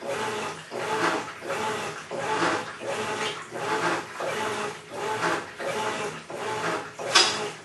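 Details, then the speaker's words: Maytag Centennial Commercial Technology washer, about 14 months old, overloaded for demo, wash agitation: rough rasping grind swelling and fading with each agitator stroke every 1.5 seconds, like grinding gravel; something grinding in the drive, cause unconfirmed. "we bought brand-new high-quality American brand washing machine sounds like it's grinding up a load of gravel"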